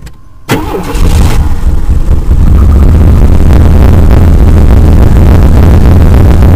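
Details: 1993 Chevrolet Blazer started after fuel pump replacement, ignition cycled to prime first; short crank, catches quickly and settles into an even, steady run with no misses or odd noises: healthy start.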